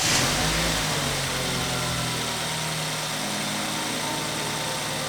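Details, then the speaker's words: 2013 BMW F30 328i N20, not run for about 6 months, after timing chain assembly replacement and fault codes cleared; smooth, even idle with steady beat, no knocks, ticks or stumbles. "sounds good i'll let it idle for a while and then we'll come back and see if we can go for a test ride"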